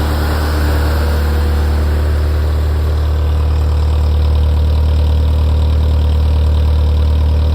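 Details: Ferrari F355 engine after the front-of-engine noise heard from tens of seconds after start has stopped: deep, steady idle hum with an even pulse about three beats a second and no rattle; idle now stable.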